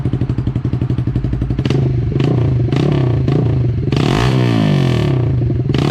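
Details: 2012 Honda CBR250R single after tank cleaning and fuel pump replacement, in neutral: loud exhaust fires up from cranking, blips, settles to a slightly lumpy but acceptable idle while warming; normal running after start.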